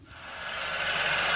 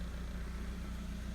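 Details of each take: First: Suzuki SX4 idling with a loud, steady high-pitched hiss and scream, swelling quickly, from the lower front; A/C compressor clutch pulley bearing failure confirmed by stethoscope; clutch replaced last season but bearing not. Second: Suzuki SX4 idling with a non-AC belt fitted as a temporary bypass of the AC compressor, whose clutch pulley bearing had failed: a steady, even low idle hum with no squeal or rattle from the belt area, sounding healthy.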